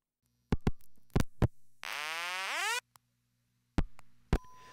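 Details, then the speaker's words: Crossbar telephone switch routed to last-resort crybaby tone: relay clicks, then a rising wail about a second that cuts off early; only half the tone plays because the oscillator tubes and crybaby need replacing. "we only hear half of the tone because the oscillator tubes and the crybaby need to be replaced i promise i'll get around to it soon"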